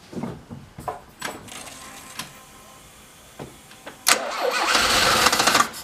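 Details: Alfa Romeo with SPICA injection pump running rich, started after fuel system adjustments: several weak cranking bursts before it catches and runs loud and ragged; hard starting and rough running, cause unconfirmed, pump may need replacing.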